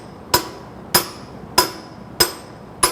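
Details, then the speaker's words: Semi truck wheel seal installation at 100k-mile inspection: sharp ringing metallic hammer taps about every 0.6 s driving the seal in evenly, not yet bottomed out; hammer sound changes once seated, stop then to avoid damage. "So you can hear the difference there. Once I hit actual bottomed out, you can hear the difference in the hammer. So you don't want to go any further than that."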